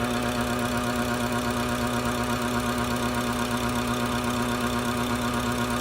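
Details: BMW F10 535i N55 turbo petrol engine idling with a steady hum and an odd repeating knock-like tick from a faulty boost solenoid; the noise was gone after it was replaced.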